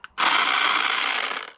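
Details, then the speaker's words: Old Craftsman V20 cordless saw on its last legs, run on a 9 Ah battery while cutting firewood: short burst of harsh rough whirring throughout; the gears are grinding and the tool fails. "I didn't expect to kill it that quick yeah geers are just grinding in it now"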